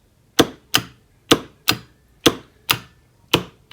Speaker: And as you can hear, the contactor kicks in and out.